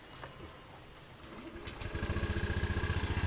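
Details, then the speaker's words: Honda Beat 125i FI scooter after fixing a minor rattle issue (owners feared a crankshaft bearing): outdoor birds, then the engine catches and settles into an even idle, no longer shaking. "hindi katulad kanina mayanig parang binubuhat onong bakal Okay wala na"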